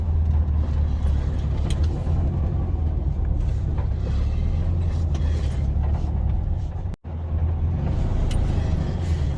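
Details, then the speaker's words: 1974 VW Beetle air-cooled engine starts well and runs with a steady, even low thrum and no knocks or misses, while being driven across the yard. This is after replacing the metal fuel line in the tunnel and reinstalling the pedal assembly. "All right, let's start it up. Starts out pretty good."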